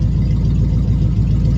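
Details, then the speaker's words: Small block Chevy after Holley carb swap and vacuum leaks fixed; idle possibly a little high, running extremely smooth; deep steady even idle, no miss or knock, slightly fast; smooth idle, slightly high. "I take that. I might have the a little high. I don't know. It sounds awful good right now. It's running extremely smooth."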